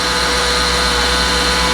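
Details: Ford F650/F750 chassis truck running: a steady, constant high whine over the running engine, new since the day before; a whining power steering pump, which needs replacing. Someone may have topped up the power steering fluid.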